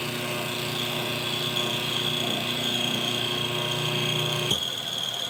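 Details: Washing machine wash motor bench-wired through a timer switch and capacitor: steady hum and whine that holds, then a sudden change as it stops to reverse direction; normal forward-reverse wash cycling.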